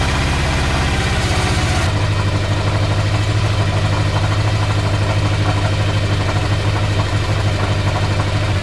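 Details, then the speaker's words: 34-year-old motorcycle first start after replacing the whole wiring harness with homemade new wires and connectors; quick starter whir, catches at once, even steady idle without misses or knocks; healthy start. "Alright, so I think I have the routing sorted out, more or less. And we're going to try to crank it over."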